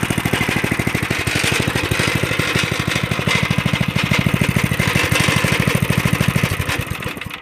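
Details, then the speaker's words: 1983 Stinger go-kart with a 206 cc, 5 hp (at 3600 rpm) engine. It gives a steady, even single-cylinder idle with no misses or knocks and cuts off cleanly at the kill switch; the earlier noise was traced to the steering wheel. "see the engine sounds good though"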